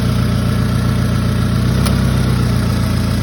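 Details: Toyota Camry engine at steady idle with a faint light tick now and then; intermittent ticking, cause not identified.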